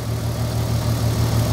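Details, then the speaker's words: VW Golf R32 on first start after sitting, fuel found bone dry, oil filter empty and filling, ignition lights flickering: low, slightly uneven throb with wandering pulses; lumpy cold idle just after start. "okay it's going to Rattle a little bit because the oil filter is empty so it's got to fill that oh the ignition lights are going on and off come on it's bit lumpy"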